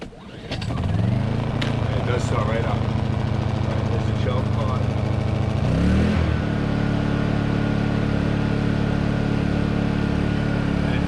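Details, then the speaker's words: Honda EU2000i inverter generator on a freezing day, after a new spark plug replaced the old one, eco throttle off, choked: starts on the first pull, then settles into a smooth steady hum with one even speed change midway; running normally. "it runs much better with a new we ran much better it actually runs much better with the the sparkplug this happens to be the great generator no complaints the thing is fantastic like"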